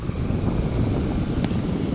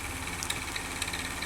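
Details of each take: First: Household electric fan after fixing a loud, wavering noise from the motor outlet, dismantled and reassembled: runs with an even, soft bee-like whooshing hum, no squeal, scrape or rattle. Normal fan running. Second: Household electric fan running with an annoying noise that comes and goes: a hum with a sharp ticking rasp about four times a second, from a dry, unlubricated motor shaft bushing.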